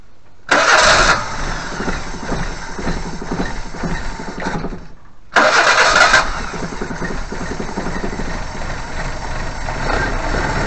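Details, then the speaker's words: 1988 Suzuki Vitara 1600 carb engine, off road since 2004, after converting to temporary electric fuel pump that filled float bowl: cranks, catches, stops, fires again and settles to steady idle; normal start. "excellent and that was a float bowl full of fuel and that seems to have done the job"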